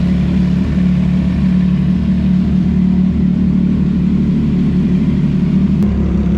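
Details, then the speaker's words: CFMOTO 675SS motorcycle revving after winter storage: a steady, even engine beat rises cleanly in pitch as the throttle opens, with no knocks or rattles. It sounds loud after the layoff, and the engine is healthy. "Not gonna lie, that rev kind of that rev kind of hit my ears again, which feels good because I was getting used to it for a while, but that felt pretty good."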